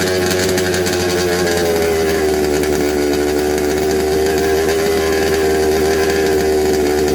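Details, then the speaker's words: Second-hand 1/5 RC Baja two-stroke after carb and gasket swap, spark good, earlier flooding: buzzy, fairly steady high drone but rough and unsettled, never clean; runs poorly, won't tune, cause uncertain. "we change the carb and it's a little bit better um including the gaskets we change the gaskets to the original gaskets of the other one at Brandon okay and it still not running good"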